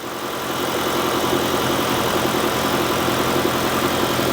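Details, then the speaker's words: 2016 Kia Optima Hybrid with replacement engine (original threw a rod and caught fire), running in engine test mode to charge the low hybrid battery and warm up to purge air; steady, even idle with smooth hum, no knocks or misses. "So now it's just running because it needs to charge the battery."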